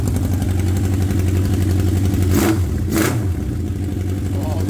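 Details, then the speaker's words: 1979 Honda CB750 F Super Sport first start, rusted exhaust pipes cut off: loud, raw, deep unmuffled bark with sharp revs; running on open pipes with no exhaust. "oh yeah I got no exhaust on it because you can see the exhaust is rusted out so so I just cut the pipes off and see if I can get some pipes to"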